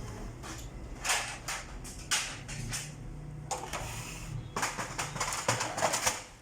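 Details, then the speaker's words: HP LaserJet P3005 after fixing slipping-gear noise and paper jams, fuser unit refitted, powered on: quiet clicks and short whirring runs through start-up, gear noise gone, no grinding or rattling; normal start-up cycle after repair. "अब इसकी sound close हो चुकी है, अब नहीं आ रहा।"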